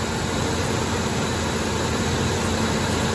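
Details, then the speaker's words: Ford Ranger after repairing fuel rail to lower intake gasket for P0171/P0174 lean codes, battery disconnected to reset computer: steady even idle, low hum, no knocks or misses, no fuel smell; sounds healthy. "I don't hear any major problems I'm not smelling any fuel leaks sounds like the uh for the wires put on correctly"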